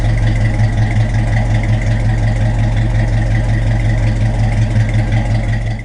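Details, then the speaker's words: 1950 Ford F1 truck, long stored in a barn, first running after revival with about 40 psi oil pressure: even, steady low thump at idle with no knocks, ticks or stumbles; engine running healthy. "oil pressure works got about 40 pounds right now water champ I'm not sure yet and fuel I'm not sure sounds pretty good"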